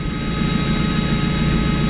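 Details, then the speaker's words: Mazda Miata four-cylinder, started before winter storage: a slightly uneven idle with a faint stumble, running a little rough. The cause is unconfirmed; the owner plans a new sensor and an OEM NGK O2 sensor to replace an aftermarket Walker unit. "No, it's really not. It's not acting out. It's running a little rough, though."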